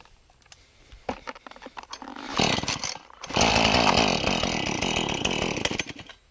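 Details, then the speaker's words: Husqvarna 435 chainsaw, hot after running: several pull-start tugs, catches and runs rough about four seconds then dies; only runs on choke, stalls on throttle when hot, won't restart; spark, airflow, carb or vapor lock suspected. "Pretty much only runs with the choke on. As soon as you give it throttle, dies. But only when it's hot, only when you've been running it and the whole thing is up to temp."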